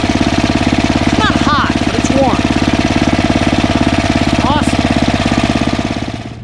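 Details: Ariens ST1128 snowblower, 11HP Tecumseh Snow King engine, after carburetor cleaning fixed surging, warm after running a while: steady, even single-cylinder thump about 200 beats a minute, no surging or hunting; runs smoothly.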